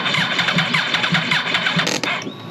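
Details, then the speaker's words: Wrecked 2009 Yamaha R1 being rebuilt, in neutral: fast even starter cranking about five beats a second for two seconds, no firing; cranks but won't start, owner unsure why, wonders about battery. "do I need more battery [Music] bet it's crank it fast but uh what that [Music] mean short ain't going to start"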